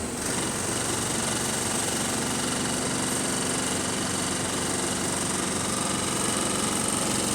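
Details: City bus SLN 36686 on route 181, diesel idling with a loose, uneven rattle of roughly two per second over the steady run. Rough, rattly idle; axle noises also developing.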